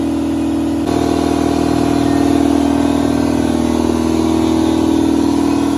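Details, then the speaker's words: Ingersoll Rand 60-gallon air compressor running with its original intake filter refitted, for comparison against a modified Solberg FS15075 filter housing that sounded deeper and more hollow but not quieter. Steady, even pumping hum with a regular beat about four per second, no knocks or rattles; normal running. "i went ahead and stuck the original filter back on there and we'll fire it up and do a comparison here see if you can hear the difference on camera"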